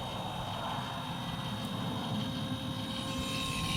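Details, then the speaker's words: Powered wheelchair on a farm-rover build with low batteries: the tilt motor on the back of the chair drives slowly but powerfully, a constant high whine over a smooth hum with no grinding or stutter; the motor works normally. "now we can move the chair kind of slow but it's very powerful"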